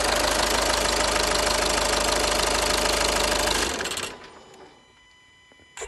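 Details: 2010 VW Passat 3C 2.0 TDI, first start after engine repair following a broken timing belt: steady even diesel clatter at idle, about 220 knocks a minute, no odd knocks, then clean shutdown; healthy.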